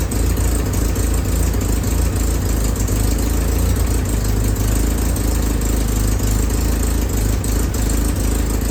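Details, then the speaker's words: Willys M38A1 Jeep after tune-up for a small miss: new distributor cap, rotor, condenser, points adjusted, broken spark plug wire replaced. Idle throttle nudged up slightly, it gives a deep, even rumble on all cylinders with no skips; pretty good. "Feels like you need to turn up the throttle just a little bit. I did I'd say that's pretty good."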